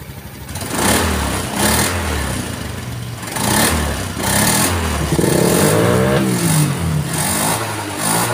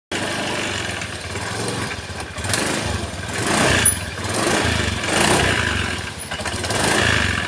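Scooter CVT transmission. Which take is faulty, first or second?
second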